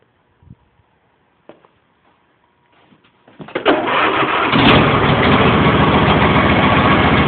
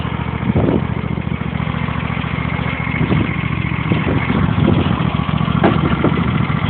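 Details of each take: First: John Deere mower (T12/L111), last started in December, on 50 A charger support, full choke, no throttle: a few clicks and brief cranking, then it catches promptly and settles into a steady, even run; healthy cold start. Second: John Deere mower (T12/L111), hydrostatic drive, just cold-started after sitting since December: small single-cylinder idle with an uneven beat and occasional stumbles; sputtering idle, cause unknown, sounds fine when throttled up.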